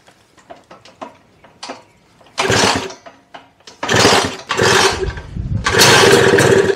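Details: Freshly built Lambretta Series 2, first start attempt: several kicks spin the engine over in rough bursts but it never catches. It fails to start, and timing is suspected but not confirmed.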